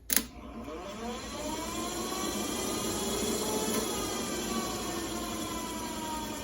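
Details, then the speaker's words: VW Beetle 6 V generator off the car after brush replacement, being polarized and motored: a sharp click, then a smooth whirring hum builds and holds steady with no scraping or knocking; spins freely as it should. "brush is replaced back on now ready to polarize it make sure it spins as it should"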